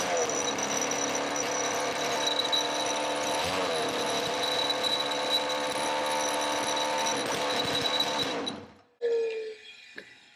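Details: Roughly 20-year-old 50cc two-stroke mini moto engine, exhaust temporarily held on with elastic bands and a cable tie: rapid, high-pitched buzzing held steady under the hand throttle, then shut off; running fine.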